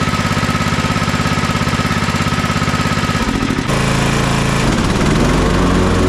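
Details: Toro TimeCutter MX4200 74765 zero-turn, had smoked and died off choke; on fresh ethanol-free fuel with fuel lines refitted: steady even single-cylinder drone with brief pitch shift, no misses or surging, smooth off choke; earlier cause unknown.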